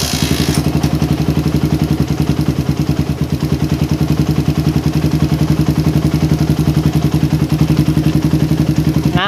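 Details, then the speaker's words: PE28 carburetor, after head nozzle change, air screw at 1.5 turns: low, even putt-putt at about four beats a second with no hunting or stumbling, a lower, stable normal idle. "idle karena saya setting di sat setengah itu udah otomatis idalnya lebih stabil ya lebih rendah dan stabil kayak gini guys ya"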